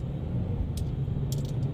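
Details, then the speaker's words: Geely Emgrand GS, about 80,677 km, after replacing front stabilizer links and retightening the left front lower arm bolt: driving with only steady road and tyre rumble, no clunks; chassis noise gone, normal quiet suspension. "现在跑起来这个车已经很正常了，底盘没有一点杂音了，那么故障就完美解决啊"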